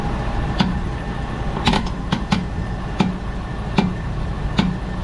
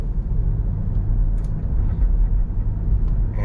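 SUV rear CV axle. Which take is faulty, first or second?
first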